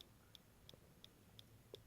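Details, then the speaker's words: MacBook: sharp faint ticks about three per second from the upper area, a clicking that persisted a year and killed three logic boards; still present after repair, cause unknown. "okay so that lets sound you hear that is the clicking noise that has plagued my laptop for the past year and resulted in the death of three logic boards"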